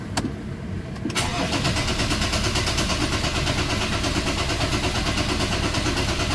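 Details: Ford Ranger common-rail diesel just after bleeding fuel filter, common rail, pump and injectors: brief crank, catches at once, settles into even steady idle with no stumble; normal diesel start.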